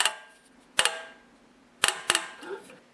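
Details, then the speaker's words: Briggs & Stratton engine, valve cover off, turned over slowly with a sharp click every few turns and won't run properly; stripped teeth on the plastic governor-drive gear inside the sump. "hey guys I've got this Briggs and Straton engine here it's making a really funny noise when I turn it over and it will not run properly"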